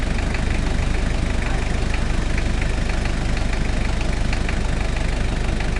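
Steady idle with a regular knock about three to four times a second over a deep drone; cause of the knock undetermined.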